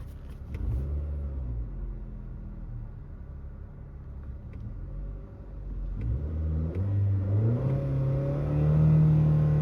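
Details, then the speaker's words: 2017 Nissan Rogue Sport/Qashqai MR20DD after replacing the VIN J relay for P0626 crank no-start and limp mode: engine catches, runs steadily and revs smoothly with no misses; running normally, fixed. "It's already a lot better. Yeah, that's fixed. I'll drive it to make sure, but I can already tell."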